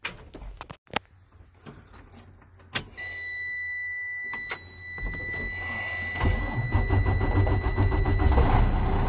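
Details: Mercedes-Benz engine in a used semi truck, bought cheap as a spare or second truck. Cab rattles and a chime, then the engine fires right up and settles into a deep, even idle rumble; normal cold start and idle.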